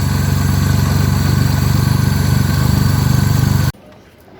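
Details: Three-cylinder petrol car idling after throttle body cleaning with spray cleaner to remove carbon that caused low, erratic RPM and weak pickup: steady, even low pulse, no hunting or misfire, then switched off cleanly; healthy idle.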